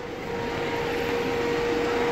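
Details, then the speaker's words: Mercedes-Benz Vito 113 CDI LWB fridge van, 62 reg, about 47,000–48,000 miles, 136 hp, with a GAH temperature-controlled unit on the roof. Steady hum with compressor and fan running evenly, no rattles; the unit works fine. "You can hear the unit there, working fine."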